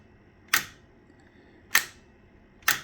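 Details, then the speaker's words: Collins 30L-1 linear amplifier upgrade: a latching relay pair with wider contact spacing and its 2K resistor removed gives three crisp, solid clunks as it latches and releases. Normal relay switching. "This has a little better spacing between the contacts, which I like. And you can definitely hear it go clunk."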